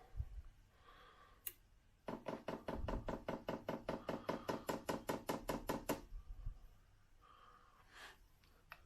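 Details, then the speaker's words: Chinese diesel heater for a camper van, with new fuel lines and a fresh pump, run off a Mercedes battery on auto prime: rapid even ticking about 2.5 per second for four seconds, possibly slightly quieter than before; dosing pump priming normally. "so I'll push the auto prime button and see what happens well interesting I think the prime noise is slightly quieter than it"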